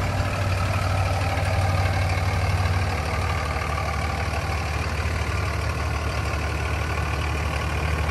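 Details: 2003 Dodge Ram 2500 Sport 4x4 with a 5.9 Cummins common-rail diesel, 85,668 miles, just started. A deep, steady diesel clatter at idle with an even beat and no knocks or misses. Normal, healthy idle.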